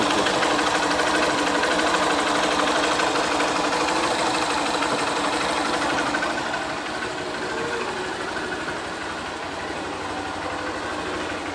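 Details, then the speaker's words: Honda Fan 125 motorcycle after engine teardown for engine noise, rebuilt, adjusted, new kick-start pedal: quiet even idle with light steady tick, no knocks or rattles; single running smoothly and healthy after repair. "Só o filé, galera, bem caladinho aí, ó."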